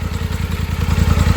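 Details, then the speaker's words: 2024 Polaris Sportsman 1000 twin, spark plug back above water after submerged misfire test: even low thumps at 1250–1300 rpm idle, both cylinders firing cleanly; misfire traced to plug wire. "And then as soon as we come back up, it's fine. So we're idling at 1300,"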